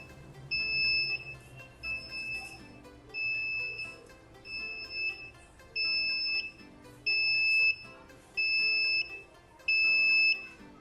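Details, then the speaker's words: Suryatech Commander 800 gas space heater with the gas valve manually shut off for testing; gauge pressure drops as the gas supply is lost, and the heater shuts off and sounds a shrill two-tone beep about every 1.3 seconds, its instant gas-supply-loss alarm. "तेव्हा pressure गेजमधला pressure कमी झालेला आहे, त्याला gas supply मिळणं बंद झालेलं आहे, तर हा इन्स्टंट अलार्म देतो आणि तुमचा स्पेस हीटर हा बंद केलेला आहे।"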